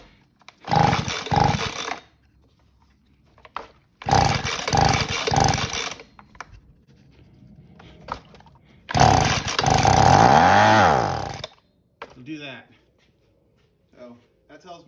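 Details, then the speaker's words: 2011 Husqvarna 125B two-stroke blower, no-start, fuel line rotted off the fuel filter: three short buzzing revving bursts, each dying after a second or two; running only on primer fuel, fuel starvation. "it's just running on the prime and uh not getting enough fuel"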